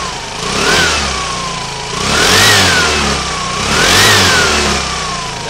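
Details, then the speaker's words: Aprilia Sportcity One 125 (2008-2015) scooter engine, 13 kg compression, on stand: pitch climbs and falls smoothly through three quick blips with clean prompt pickup, no knocks or rattles, no white smoke; slight stand vibration; healthy. "respuesta de las vueltas es muy buena. No echa humo blanco, que sería un síntoma de consumo de aceite."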